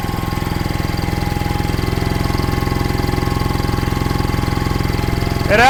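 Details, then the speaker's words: 1960s General Supply 260 air compressor on a Kaiser Willys CJ2A engine with a new electronic distributor, timing tweaked by ear: even thump, revving back up cleanly as the compressor cycles back on load, which it hadn't done in years. Normal run and rev-up. "That is sounding really good. I adjusted it just a little tweak more."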